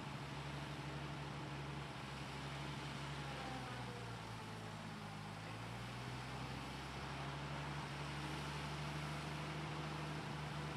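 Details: Lull forklift with industrial Dodge slant six and old Holley carburetor, just retrieved after years sitting, with bad treated gas: low, wavering idle drifting up and down; rough running, badly needs a carburetor.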